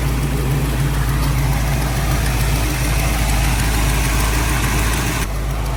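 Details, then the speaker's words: Car at idle after spark plugs, wires, ignition module, coil and fuel pump were swapped. A deep, steady idle with a faint buzzing rattle; owner suspects engine vibration rubbing the exhaust against body panels. "maybe the vibration of the motor in the exhaust rubbing up on some body panels or some"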